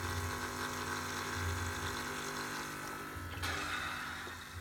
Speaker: so now I can hear there's a little bit of cavitation in the pump, so there's still a little bit of air in there.